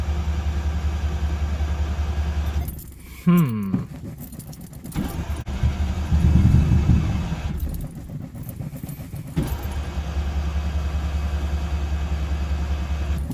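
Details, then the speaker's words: Mazda RX-7 GSL rotary that has sat for a while, cold start after many pedal pumps: low, lumpy idle firing on only one rotor, as it usually does after sitting. Carburetor issue suspected, or low compression on one rotor. "this one always seems to start on one rotor after it sits for a while and it took a lot of pumps to get it to start"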